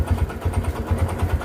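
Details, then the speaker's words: Kawasaki Barako 2 motorcycle engine at a rough, loud idle with a heavy low thudding knock on each beat; very noisy from a connecting rod problem, and the engine is to be taken down to replace the rod. "Isue niya connecting rod mga idol. Napakaingay. Narinig niyo naman kanina."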